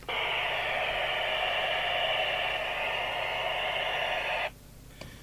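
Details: 1983 Realistic TRC1001 CB27/81 UK FM handheld CB after repair and realignment, no dry joints: steady strong hiss of an open receiver, then squelch shuts it off cleanly; normal receive.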